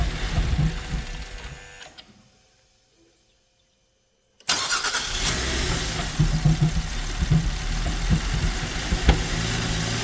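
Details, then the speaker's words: 2012 GMC Acadia SLT 3.6 LLT engine at first start after final assembly, fuel pump just enabled: engine turns over slowly, pauses, cranks again until it catches and settles into a steady, fairly quiet idle; long crank from air in fuel lines, injectors filling. "Oh! It's got a lot of air in the line yet. Yeah. Oh, it's wanting to. Well, it's just got to get all the injectors filled up."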